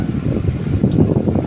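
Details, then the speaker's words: Electric fan after replacing worn shaft and bushings, running on speed 3 (noisy before): smooth even airflow whoosh with no rubbing or scraping; normal fan running. "Lagyan natin sa 2. So 2, walang maingay, di ba?"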